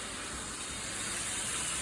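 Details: Air compressor tank not drained for a long time; steady, loud, high-pitched hissing spray with no rhythm as accumulated water and air blast out of the drain.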